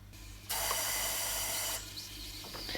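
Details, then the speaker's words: Jeep Cherokee XJ 2.5 turbodiesel with rebuilt GT2052 turbo, pressure test of the intake: sharp steady hiss of escaping air for about a second while the system holds pressure, pointing to a leak in the intake; boost leak. "wastegate should start moving just holding pressure pretty good you can hear a leak there"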